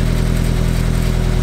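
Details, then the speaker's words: Car idling after the exhaust was changed for California law compliance, now quieter, with a fast buzzy rattle riding on the exhaust pulses traced to the loose exhaust tips; exhaust tip rattle. "Why is it sounding just like that? Why is it rattling?"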